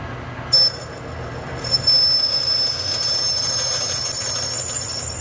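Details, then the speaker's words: Metal lathe on a hard chrome-steel precision ball; sharp, high steady squeal over spindle noise as the drill rubs rather than cuts. "I was having to hunt around trying to find something to reduce the rubbing and the chatter and all the other things that were going on. So you might want to hold your ears sometimes."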